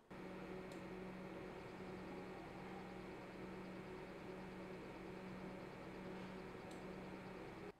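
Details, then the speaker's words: Sapphire RX 480 graphics card about a month old: steady whirring hum with a low buzzing tone from one noisy fan, fixed by replacing the fan under warranty. "this video will be about my noisy IRX 480 where one of the fans was doing a very annoying noise."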